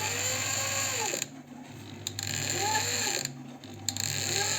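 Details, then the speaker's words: Janome 509 sewing machine, about 15 years old, squeaking and not sewing; the partly disassembled mechanism is turned by hand and gives a dry, creaking scrape rising and falling with each rotation. The scraping is of unknown cause; a catching edge was suspected, then ruled out. "какой-то скрежет непонятный Я вроде его тримения уже туда подводил сначала показалось что где-то здесь скребет за край цепляет"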